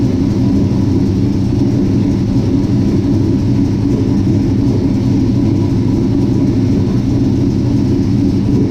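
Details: 1967 Chevy C10 with Holley Sniper EFI, backed off jack stands for the first start in a long time: deep, steady V8 rumble, even beat, no misses, knocks or surging. It starts and runs well but needs more transmission fluid.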